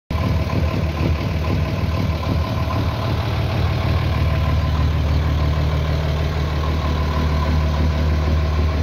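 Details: Diesel with valve clearances set loose to make it tick, owner suspects lost power and turbo pressure at low rpm, reverting to original 40/60 settings: steady idle with light rhythmic ticking over the low rumble; excessive valve clearance.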